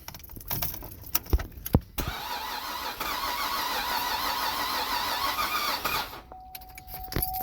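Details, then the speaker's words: 2007 Cadillac CTS 3.6 V6 base: the starter spins the engine steadily for several seconds with no firing, then stops; crank-no-start from a failed crankshaft position sensor. "so the car's what's it called cranking but not um starting up"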